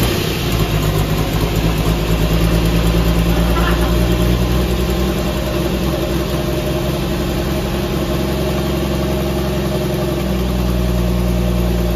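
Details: 1964 Dodge Dart station wagon, 170 slant six with push-button automatic, revived after 25+ years parked outside: loud open-exhaust idle, no muffler, steady even beat without misses or rattles, all cylinders firing; normal idle.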